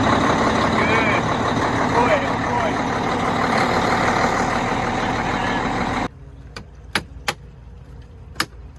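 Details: Kenworth T680 diesel that only clicked with no crank despite a new starter and solenoid (owner suspects a wiring or computer issue) now cranks and fires normally on a newly installed push button, clutch in: loud steady diesel run for six seconds, then a few sharp clicks.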